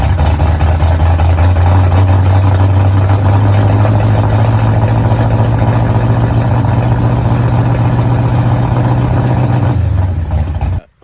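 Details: Freshly installed engine in the driveway, first start after timing set and firing order corrected, semi-cold start around 63°F, pressure gauge hooked up; settles into a smooth, even low hum, picks up slightly, then shuts off cleanly with no misfire or knock; normal running.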